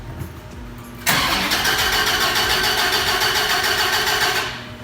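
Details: 2014 Dodge Viper TA, wrecked and with a borrowed battery fitted: starter spins the V10 at a steady quick beat for about three seconds with no firing; cranks but won't start.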